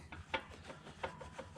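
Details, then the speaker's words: New Holland B95 backhoe water pump, about 4,000 hours; shaft turned by hand gives quiet rough scraping and gritty rubbing from worn bearing, failing before the seal leaks. "if you you can hear that these pumps actually the bearing will go out before the seal starts leaking on them"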